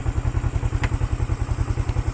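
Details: 1975 Honda CL360 Scrambler idling after a neighborhood and full-speed test drive: even, low thumping at about ten beats a second, steady rhythm, no tapping or clatter; a healthy, settled idle.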